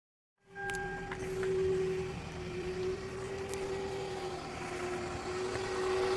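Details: 2004 Toyota Camry with a failing alternator (replaced next day): engine running with a steady high whine near 400 Hz holding pitch throughout; bad alternator noise.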